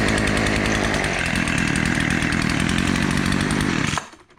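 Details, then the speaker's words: Craftsman two-stroke weed eater after replacing fuel line and fuel filter: high buzzy steady running for four seconds then shut off, no stumbling; normal running, top slightly loose. "Well, there you go, all back together and it's running."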